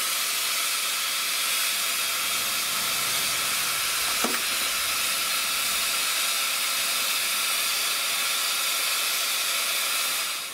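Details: Ferrari 308 idling, probably too high at about 1500 rpm: steady loud steam hiss over the idle with a brief spurt midway; coolant boiling over because the radiator fans never switched on.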